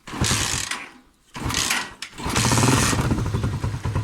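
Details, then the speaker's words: Motorcycle left standing outdoors in winter rain and snow: single-cylinder engine misfires and sags near stalling; suspected rust or water in carburetor or clogged fuel tap filter starving fuel. Engine misfire. "ya da sesi iyi dinleyin şu şekilde tekleme yapar bakın sanki stop edecekmiş gibi ve biraz zaman sonra motor stop eder kendiliğinden"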